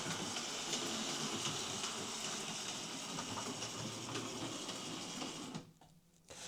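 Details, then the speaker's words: Hornby R2558 County Class model locomotive, bought as a poor runner: motor whirs steadily with a regular light click from a gear missing a tooth. "Well, that runs an awful lot better than I was expecting. Uh, you can hear it clicking. That'll be the missing tooth, but yeah, it runs not too bad."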